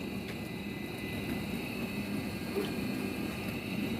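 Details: Midea dishwasher after repair of a stuck wash motor (E15, no washing), final test on 29-minute quick program: steady even wash hum with soft churn, no grinding, rattling or squeal; running normally.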